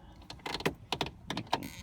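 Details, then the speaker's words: Lada Niva 2121, restored with doors fully taken apart: when the window closes, rapid irregular flicking clicks come from a misplaced regulator roller that holds the window wire. It needs adjusting slightly left or right. "it just kinda annoys the hell out of you when you close the window and you hear that flicking that's just the why I mean the roller needs to be adjusted a little bit left or right"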